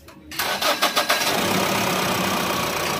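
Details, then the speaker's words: Mahindra Bolero Pickup diesel, over two years old, starting after a new battery replaced the dead one that had caused no-start; four or five strong cranking pulses, then it catches and settles into an even idle, a normal start. "तो इसका shape सही था सिर्फ battery खराब थी तो बैठी change करवा दिए"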